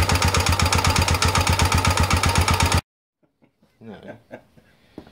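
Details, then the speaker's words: Air-cooled Honda XL250 after restoration rebuild, debris seen in oil: starts easily but runs with a hard, steady knock on every beat before shutting off; internal engine knock, cause not yet found. "so we put it together meant started beautifully but you heard the noise and be noisier than water-cooled anyway"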